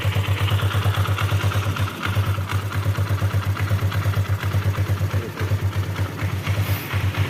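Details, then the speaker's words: Kawasaki KLX 150 single-cylinder engine idling after valve check, previously rough and noisy: even soft thump about three beats a second, no ticking or top-end clatter; noise now gone. "हाँ, ध्वनि धीमी है हाँ, दोस्तों, अब शोर नहीं है"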